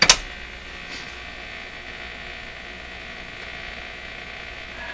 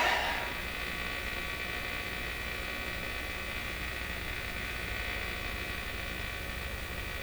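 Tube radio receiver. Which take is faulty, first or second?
second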